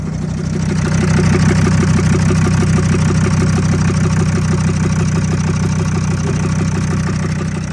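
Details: VW Crafter 2.5 diesel, first run after re-timing when the shredded aux belt wrapped the crank pulley and skipped the timing belt: steady clatter about three beats a second, no skipping or knocking; idles evenly.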